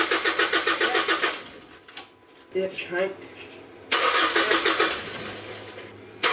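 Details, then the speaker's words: 2008 Mitsubishi Triton ML 3.2L 4M41 diesel after intake manifold cleaning with the injector lines removed; cranks at a steady chug without catching while each injector is cracked to bleed air from the lines. "yep so what we just did there is we bled all the fuel lines for the injectors because you've taken them all off so there's all air in the"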